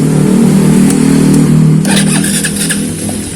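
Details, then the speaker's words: Yamaha Vega ZR/R single with Shogun 110 DC CDI fitted in place of AC CDI, started on electric starter: catches straight away, revs cleanly with steady beat and no misfires; starts healthy. "ini juga langsung hidup pakai double starter"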